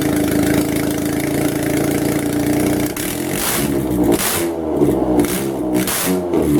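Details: Car #92 running with the exhaust manifold removed during manifold work: raw loud bark crackling and rising sharply with each throttle blip.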